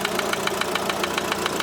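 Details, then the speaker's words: Opel Astra H Z17DTH diesel with Bosch fuel system, idling after a failed overhaul and injector replacement elsewhere: sharp, evenly spaced metallic knock about seven per second traced to cylinder 1; metal shavings were found in the oil pan, pointing to damaged bearings. "стук іде з першого циліндра отут десь чить"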